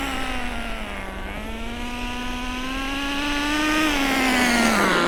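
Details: Nitro RC car during break-in, driven at no more than half throttle over two tanks: high buzzing note rises and falls with throttle, clean and crisp with no sputter, power increasing. Normal nitro engine running.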